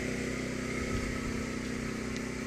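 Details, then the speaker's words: Champion 200961 2500-watt dual-fuel inverter generator running on propane in eco mode, heard from about 15-20 feet away: low, steady, quiet hum with no misses, surges or knocks; a healthy idle with almost no smell. "like 15-20 feet away, and it's got almost no smell to it on propane."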